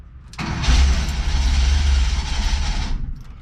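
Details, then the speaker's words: 1977 bus with automatic transmission, running after 30 years, started after a new transmission filter and pan gasket: a low idle with a steady airy whoosh of unknown origin. "nope it's still there I wonder what that noise is"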